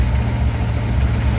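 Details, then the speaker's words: 1955 DeSoto, supercharged 392 HEMI V8 idling after carb and timing work: deep steady rumble with faint rhythmic rise and fall, mild surge, otherwise even; vacuum 14–15 fluctuating from blower, fuel pressure reading 15–9 possibly low. "as you can see, it's idling pretty good. It's got a little bit of surge, not too bad."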